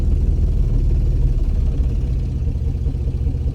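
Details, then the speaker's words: Infiniti G35 coupe drift car, VQ35DE, after swapping to aluminum valve covers, idling cold in the garage: deep lumpy uneven idle with RPMs dropping as if about to stall, misfiring; cause unconfirmed. "dying. The RPMs are dropping low. I don't know what's going on."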